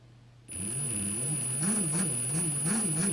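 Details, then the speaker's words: 2017 Ryobi R18PD7 brushless drill at low trigger setting: thin high whine over a wavering low growl surging about three times a second, straining as if heavily loaded; noisy gearbox. "You can even hear the gearbox is quite noisy. Like it's straining a little bit."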